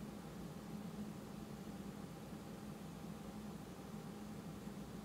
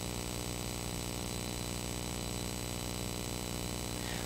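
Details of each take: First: Rode NTG microphone powered by a juice pack battery rather than USB, analog output; quiet even hiss with faint steady low hum, only minimal electronic noise compared with USB charger power. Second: USB-powered Rode NTG microphone with analog output, powered from a type A USB charger: steady hiss with buzzy pulsing hum, electrical noise from the power source, as with the earlier type C charger; isolated juice pack tried next.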